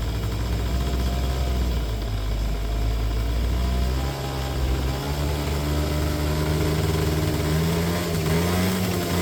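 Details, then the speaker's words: 2009 Yamaha Zuma 50 two-stroke fresh from storage, started with a battery borrowed from another scooter. Steady, smooth idle with a slight rev; it smokes heavily, which the owner suspects is from fogging oil used for storage, and the oil pump works. "So, I don't know if somebody maybe fogged them motor before they put it into storage. And that's why there's so much uh smoke."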